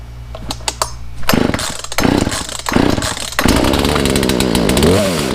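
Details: Poulan chainsaw after air filter and Zama carburetor kit install, choke used: several pull-starts with short pops, then fires and revs up smoothly with steady howl; running properly.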